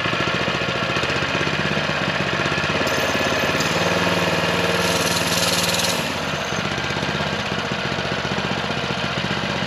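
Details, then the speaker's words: Small single-cylinder power-washer engine on a DIY motorized trike with centrifugal clutch, first ride: chugs then revs hard with uneven beat; won't take off unassisted, whole bike jerks at wide open throttle. "but then when you get it going and you try to go wide open throttle the whole bike starts to like jerk and I'm just afraid it's going to start breaking everything"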